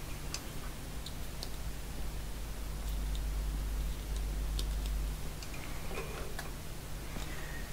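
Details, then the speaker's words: Mimi 802 vintage computer power supply on the bench before the dummy load was connected: quiet mains hum with faint irregular ticks about four a second as the 5 V rail passes about 6 V. The SCR over-voltage crowbar is tripping and the supply keeps restarting. "when we get around 6 volts you can see it's now starting to cycle because it's exceeding the protection voltage and the SCR is killing the output"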